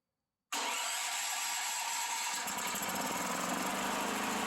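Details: Generator after long improper storage, fitted with new carburetor and fed clean gas through an inline fuel filter from another generator: silence, then catches at once and settles into steady even run, no misses or knocks; healthy.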